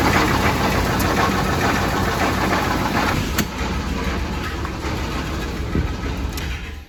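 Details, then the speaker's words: 1993 Chevy Silverado 5.7L 350 TBI that has knocked for weeks: uneven knocking about three times per second over a lumpy idle, sounding like rod knock; compression 150 psi except the middle two driver-side cylinders at 90, so a blown head gasket or crack is suspected. "the motor is starting to knock pretty bad i've been driving it for a few weeks knocking"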